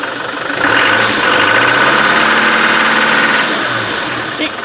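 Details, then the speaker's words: Land Rover Defender 110 diesel idling with a sharp, fairly even clatter around four knocks a second over a steady hum, knocking also heard while driving; owner unsure of source, suspects slightly advanced timing; cause unconfirmed. "now i could hear a knocking when i was driving it but i don't think it's coming from there have a listen stars like that all the time"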